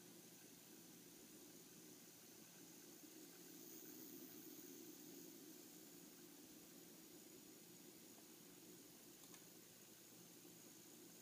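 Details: 27-inch iMac making a faint steady hiss with a thin high whine under load or when screen brightness is increased: electronic noise.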